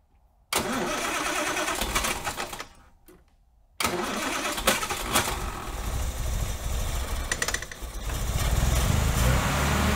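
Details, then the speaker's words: Austin Healey 3000 on SU carburetors, test fire after refitting reworked floats: runs ragged, popping and banging, misfiring; plugs then checked. "she's still popping and banging and not happy let's check the plugs maybe they can tell us a story"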